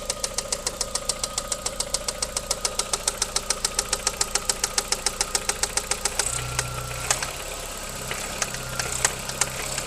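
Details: VW Golf 4 1.8 20V AGN engine at idle with a sharp, evenly spaced steady knock that appeared after hard driving; source not pinned down.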